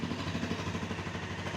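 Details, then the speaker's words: £100 Honda motorcycle after stripped and rebuilt carbs and idle adjustment to fix over-revving: steady, even idle with a regular low pulse that neither hunts nor surges; normal idle. "Oh, that sounds great. That sounds really good. Oh, fantastic."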